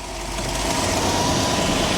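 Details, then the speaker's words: Grandfather's 1966 Ford Thunderbird V8, idle recently adjusted after running high: steady even low rumble idling in gear, no misses or knocks; sounds healthy, normal in-gear idle. "Put it in gear and see what she does. Sounds pretty good."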